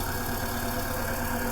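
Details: VW Gol 1.6 that died after a bump and would not restart; a voltage drop to the electronic throttle body motor was found. After repair: steady, even idle, smooth low hum, no misses, knocks or hunting. Normal idle.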